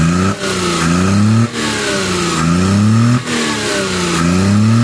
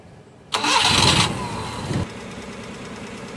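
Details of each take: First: Suzuki F6A petrol engine misfiring and backfiring with an unstable idle and hard starting; it surges and nearly stalls every second or so; the valve cover was removed and the valve clearances were found out of spec. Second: Suzuki F6A engine that had been rough, backfiring and hard to start, after the valve clearance was adjusted and an oil flush and oil change were done. It now starts on the first crank, flares briefly, then settles to a steady idle.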